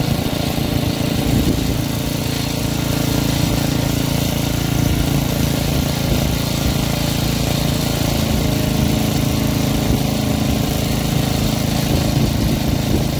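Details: Troy-Bilt rear-tine rototiller engine after magneto cleaning restored missing spark and carburetor cleaning, during carb adjustment: single-cylinder holds a steady, even chug around four beats a second with no misses; running healthy.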